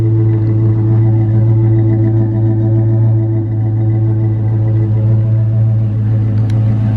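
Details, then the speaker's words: 2007 Dodge Magnum R/T 5.7L Hemi air ride suspension compressor, apparently under the rear wheel well area, lifting the bags: deep steady low hum with droning buzz, subwoofer-like; normal compressor running. "I can hear the air compressor kicking on kind of scared me I thought it was a subwoofer at first I guess it's underneath the rear wheel well area"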